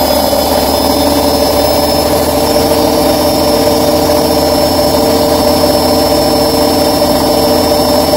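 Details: Bosch Maxx 6 washing machine at full spin: constant heavy roar, no knocking rhythm. Motor bearings already replaced and drum bearings still good, yet the drum stays noisy at high speed; owner concludes the drum is broken, which is unconfirmed.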